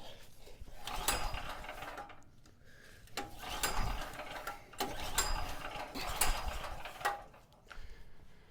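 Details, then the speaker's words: Cheap used generator, 38 hours on it, had been running then suddenly wouldn't start: repeated recoil pulls in short ratcheting bursts, engine turning over but never catching; owner suspected flooding, cause was corroded on/off switch contacts. "All right, so I've been sitting here thinking about this, and it seems very strange to me that we went from it's running fine all of a sudden to it won't start."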